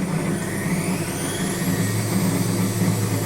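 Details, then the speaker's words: Indesit WS84TX washing machine during high-speed spin and draining: a loud steady low hum with a thin whine and vibration from the drain pump motor; failing drain pump. "При отжатии и откачке воды наблюдается посторонний шум, то есть когда при больших оборотах начинается отжатие, слышен какой-то посторонний шум и слышно вот вибрации именно того моторчика, который откачивает воду."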